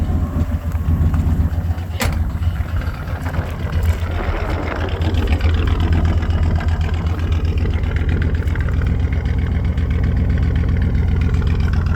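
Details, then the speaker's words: Truck V8 with new headers and new Thrush 28-inch glasspacks: loud, deep, slightly ragged idle, one side much louder; owner suspects the catalytic converter, and an exhaust leak is seen with water dripping out. "That's the problem we're running into. Here, so much louder than this side. I don't know why. I think it's the catalytic converter because they both have brand new Thrush 28-inch glass packs in there."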